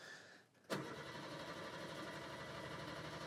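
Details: 1996 Subaru Sambar KS4 high roof, carbureted, carburetor and ignition previously tampered with: the starter spins the engine with an even churning beat but it never fires, a crank no start traced to a fuel pump connection fault.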